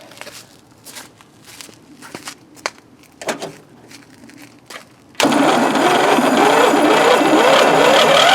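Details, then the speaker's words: 1993 Craftsman LT4000 riding mower, first start after four years sitting, fresh 90-octane rec fuel: steady labouring crank of about four turns a second that never fires; owner thinks it is flooding and washed the cylinder. "Not exactly sure why it took so long to start, but, well, it took so long to start cranking. But it didn't fire up, which makes me sad, because that means I might need to do stuff."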